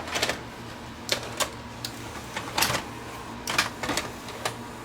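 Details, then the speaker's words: Sharp VC90 multi-system VCR, top cover off, worked one day and not the next: scattered clicks and short motor whirs as cassette is drawn in then kicked straight back out; owner suspects it isn't detecting the cassette, maybe a switch; cassette loads then ejects. "I would think it's not detecting that the cassette is in."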